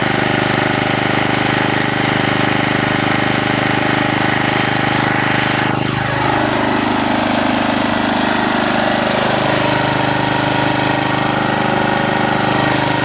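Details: Honda HR214 mower, set on high: steady, even single-cylinder beat at high throttle with pitch sweep as it settles; smokes heavily after start; normal full-throttle running.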